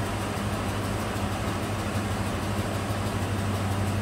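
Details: 2004 Dodge Ram 1500, 4.7 V8, low dirty oil, at idle: a low uneven pulse with faint right-bank valvetrain ticking, misfire on cylinder 4 because a cam follower dislodged from the number 4 exhaust valve, likely from a collapsed lifter.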